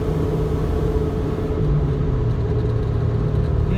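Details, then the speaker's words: Nissan Altima at full throttle in third gear around 5,000 rpm, on the road: engine holds a flat, steady drone over road rumble instead of climbing in pitch, not gaining revs past 5,000 rpm; down on power, cause unknown. "I'm floored. Third gear, 5,000 RPMs, just not, you can hear it, just not gaining revs."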